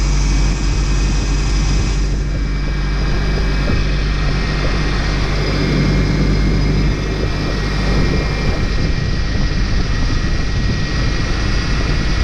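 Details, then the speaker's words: Newly installed engine on its first start after installation: loud, even drone with a steady low roar and no misses or knocks; oil pressure decent, power steering low and squawking. Normal running. "all right well looks good motor sounds good bowel sounds good"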